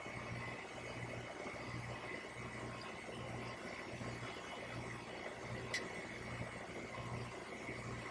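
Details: AC condenser running normally after a weak dual run capacitor (rated 45x7.5 MFD, reading 0x7.3) was found. Herm draw .625, fan draw .97. Steady hum, even fan air, no labouring.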